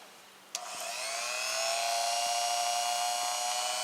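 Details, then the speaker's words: Engindot rotary tool (not a Dremel) on low speed, running free: click on, then a clean high whine climbs and settles to a steady pitch with no rattle or wobble; only slight run-out, normal. "Looks pretty good. Not a lot of run out on here. There is a slight bit, but I can barely notice it."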